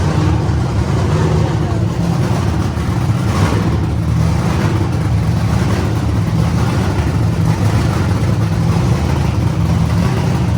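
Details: Wagon project car first run after lean condition traced to manifold leak, temporarily sealed with painters tape on back of manifold: loud, steady engine note running evenly without stumbles or hunting; running properly.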